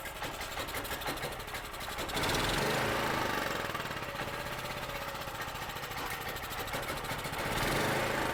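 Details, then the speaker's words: Cheap used generator, 38 hours on it, bought non-running: first start after carb cleaner squirt, choke on, throttle linkage not hooked up; engine runs with quick, slightly uneven, surging beat, not yet under throttle control. "I didn't hook the throttle up. But did y'all hear that? It ran."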